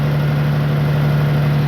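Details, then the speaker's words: Farmall tractor engine, running again after about 3 hours of repair, at idle: smooth, even low hum with no misses, knocks or stumbles. Earlier it blew carbon out of the stack; owner considers a combustion chamber cleaner and a full tune-up kit. Normal idle. "maybe some kind of combustion chamber cleaner but I don't know she sounds good she runs"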